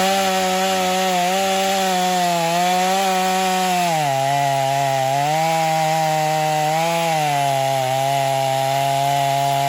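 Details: Stihl MS250 chainsaw test cutting wood after carb retune, tuned pretty rich for break-in; possibly slightly low compression but pulls with power; strong steady buzz drops in pitch biting wood, recovers cleanly.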